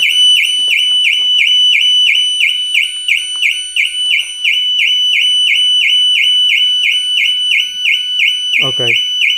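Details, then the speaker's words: New Audi Q6 e-tron just locked: loud, high warbling siren cycling about three times a second, steady and unbroken; false alarm going off by itself, cause unconfirmed, and app shutoff ineffective. "Sygnał dźwiękowy i tak by się wyłączył, bo on się wyłącza po tej krótkiej chwili swojego wycia."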